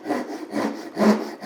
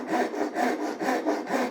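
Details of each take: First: Japanese ryoba pull saw rip cut switched to a downhill stroke: four rough, uneven rasping strokes in under two seconds, with the teeth catching much more than when sawing uphill. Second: Japanese ryoba pull saw on a rip cut with the ripping teeth, two-handed, sawing slightly uphill: even rasping strokes, about two a second, smooth without catching, since the timber wants to be cut in the up direction.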